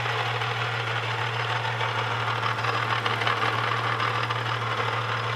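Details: Holden VS Series 2 Ecotec engine, about 400,000 km, idling: steady hum with an uneven metallic rattle at roughly three per second, seemingly internal; cause not pinned down.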